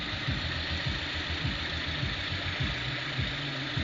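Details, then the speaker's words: Lada Priora 21126, block bored for new 82.5 mm Avtromat pistons with Prima rings, under 1,000 km since rebuild: warm-idle light knock about 100 per minute that comes and goes, heavy knock when cold; owner suspects camshafts. "вот звук то появляется то пропадает [музыка] подозрение на распредвалы возможно ли это спасибо за ответы"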